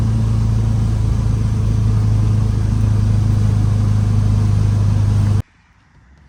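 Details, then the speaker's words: 1967 VW Type 3 Squareback, first drive around the block after engine install; steady deep even drone with clean low beat under load, no knocks, misses or rattles, feels more powerful than before, normal running. "here we go guys I'm driving this quarterback seems to be running as expected look at that power baby"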